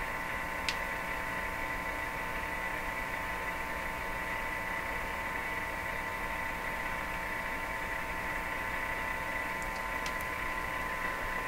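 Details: Viking EMU61 tube radio: steady low hum with faint hiss from the speaker, heard while tracing the power supply and rectifier circuit for the cause of the hum; source not yet found.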